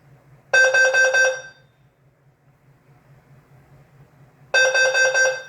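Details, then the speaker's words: Notifier NFS2-3030 fire panel with DVC, after downloading the database and audio library to fix an audio library incompatible trouble: the CO message plays clear warbling tone bursts about a second long, every four seconds, over a faint hum. It works normally. "So to confirm that, I will play a message. Doesn't matter what, I'll just press CO. As you can hear, it works."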